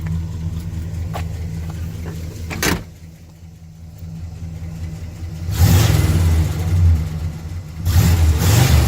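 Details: 1974 Pontiac Grand Am sedan, 400 V8, all original, carburetor rebuilt: deep V8 burble swelling cleanly on two throttle blips and settling to a smooth even idle; healthy engine.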